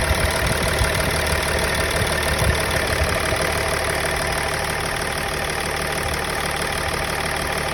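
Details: Engine at idle with MAF sensor plugged in: rough uneven idle, lumpy stumble in exhaust beat about three a second; misfire at idle, cause not confirmed.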